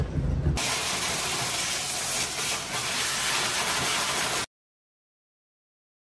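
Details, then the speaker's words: Diesel heater in an Alaska camping truck runs normally with a steady loud roar of combustion fan and burner, no sputter or surging, after its intake, clogged with snow and ice, was cleared, cut shorter and relocated by the cross member. "The diesel heater has been fixed, if you can hear the loud noise of it running. The entire intake was just clogged with snow and ice."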